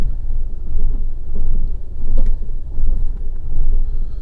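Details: 2011 Fiat 500 1.2 Lounge Copart salvage car, idling with diagnostic tool connected: deep low rumble rising and falling unevenly about every second; lumpy rough idle like a misfire, cause not found.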